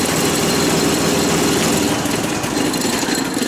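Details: Deutz F3L292 three-cylinder diesel on an old military water pump, two cylinder heads replaced, started via Murphy oil-pressure switch: loud, even diesel clatter at steady idle with no misses or heavy knock; healthy idle.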